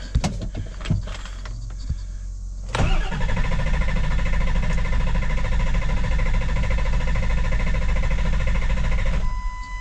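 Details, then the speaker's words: 7.3 Powerstroke diesel with a hot no-start, cranking after installing a new injection pressure regulator valve: steady starter churn for about six seconds, reaching about 2000 on the gauge, and it tries but never fires; crank, no start. "all right about 2000 it wants to try and start but it's not starting"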